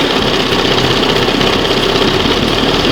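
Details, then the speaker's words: 1971 Johnson 20 HP two-stroke outboard after carburetor rebuild: steady, crisp two-stroke patter at idle, no misses or surging; cam on first mark, now responds, idle screw had been set slightly lean; normal idle. "See how now it reacts before it didn't That's probably the best what this thing's going to get."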